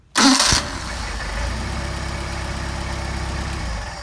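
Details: Mercedes 190SL with rebuilt Solex carburetors, hot start after warm-up and tuning: quick crank, catches at once and settles into a smooth, even idle, a clean, healthy warm start.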